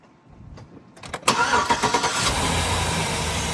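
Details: 2005 Chevy Silverado after fitting a new accessory drive belt, pulley and tensioner (the old belt was cracked and squeaked): the starter cranks and the engine settles into an even idle with no squeak. The belt is on correctly.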